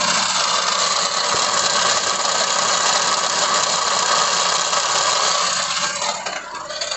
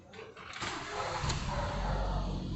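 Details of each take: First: 2016 Ford EcoSport with the 1.6 Sigma engine, idling after start: a harsh, fast metallic rattle because the starter motor pinion stays engaged and does not retract; confirmed on the bench, where the starter has to be pushed back by hand. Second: 2016 Ford EcoSport with a 1.6 Sigma engine, after cleaning and greasing a starter motor that stayed engaged: the engine cranks briefly and catches cleanly, settling into a steady low idle with no grinding; normal engine start.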